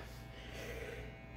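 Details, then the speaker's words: 1970s Music Master bass amp idling with a Rangemaster-clone and Russian Big Muff-clone pedal chain; steady low hum with evenly stacked tones, the usual 60-cycle mains hum. "this uh 70s music master bass amp and you can already hear the 60 cycle hum we're just gonna have to live with that"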